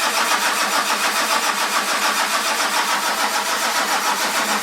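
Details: 1946 Ford with a 1996 diesel, cold morning around 49°F; it ran once, then IDM relay was clicking repeatedly. Even starter churn at about three and a half beats a second, never catching: cranks but won't start.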